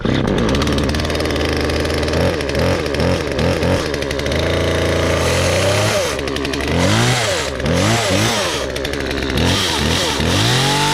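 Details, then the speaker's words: Auction Husqvarna chainsaw after cleaning and fuel line replacement, choked start; fires and revs freely, rising and falling cleanly with no misfire or bogging; healthy two-stroke. "well I think she sounds pretty freakin good and the chain looks good to me"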